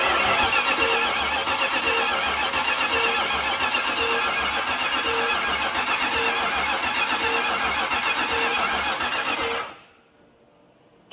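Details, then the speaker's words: Long-dead 1970 Dodge Charger spun over on the starter with battery in, before first start: steady cranking at about four even pulses a second with no dropouts; compression sounds even, and lifters are seen moving. "actually spins over and sounds like it has even compression. There wasn't a wah wah wah wah it was just wah wah wah wah wah wah wah wah. Sounds good."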